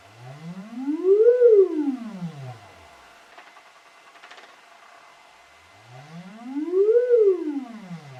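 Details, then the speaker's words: Celestion Ditton 25 T1600 woofer, stored 28 years and previously scratchy, on an audio sweep with the spider held centred by hand: tone glides up and down twice with no scratching; voice coil moves freely. "So moving it halfway between it's not grating at all."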